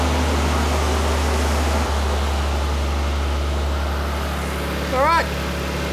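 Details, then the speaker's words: 1998 Nissan Skyline R34 GT-R first start after service work including plug replacement. Steady, smooth idle at a raised cold-start speed with no misses or knocks; engine running normally. "sounds pretty damn smooth all right that's uh obviously on cold start so it's idling pretty high"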